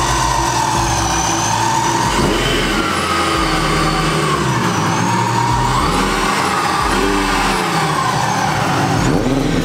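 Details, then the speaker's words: Old racecar's first cold start after about five months in storage, on a cold day: it fires into a loud, lumpy idle with throttle blips rising and falling, louder than expected but healthy. "that was a little louder than I expected it to be"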